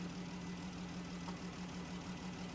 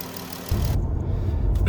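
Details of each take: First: 2017 Dodge Journey with code P0202, misfire on cylinder 2: steady low idle with an uneven beat and recurring stumble, one cylinder dead; no control signal on the injector 2 side; PCM injector driver failed, confirmed as the PCM. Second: 2017 Dodge Journey after repairing a P0202 cylinder 2 injector misfire caused by a failed PCM injector driver. Steady, even low idle rumble with no skips or stumbles; the engine runs smoothly on all cylinders.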